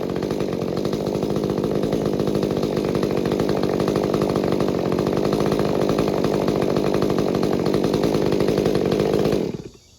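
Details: Stihl MS201TC chainsaw after performance work, with fresh fuel and a new fuel filter: a steady high-revving two-stroke buzz holds even speed without surging or stumbling, then a clean shutdown; the earlier trouble is thought to be the fuel filter.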